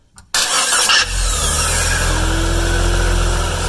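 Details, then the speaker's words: 1996 Jeep no-crank, already fitted with a new starter and switch: with the key on, a screwdriver jumps the starter's top small terminal, giving a brief whir, a quick catch and a steady idle. Starter and key are fine; the safety neutral switch is bad. "so what that tell you it's that your problem is not your it's not your key is not your starter it's called safety neutral switch that's what's bad"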